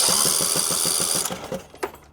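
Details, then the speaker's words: Riding lawn mower with a Briggs & Stratton engine, spark plug removed (no compression), cranked on a known-good battery: quick even spin at about seven pulses a second, then stops; strong healthy cranking, a huge improvement over the earlier slow crank. "So now, all I'm doing is just ground up the spark. See a huge difference. See a huge difference."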